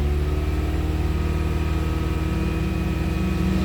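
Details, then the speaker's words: PT Cruiser with corroded battery terminals, running after a jump start and revving while the alternator charges. Steady, even engine note with a firm low pulse and no knocks or misses; engine running normally. "Hear it running, Tom? It's running good. Hear it running?"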